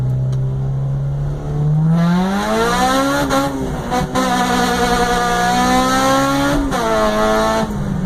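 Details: Acura RSX Type S revving: engine tone rises and falls with no distinct knock; some unidentified noise under load, cause unknown.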